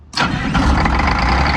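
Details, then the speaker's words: MCI MC9 bus diesel after fitting new gear-reduction starter said to have a soft start: short crank, catches almost instantly, slight high-pitched noise, possibly from the gear, during cranking, then settles into steady, even idle with no grinding. "well how about that huh I will take that that kind of sounded a little weird I think that was the gear I don't know I heard like a little high-pitched noise coming out of it"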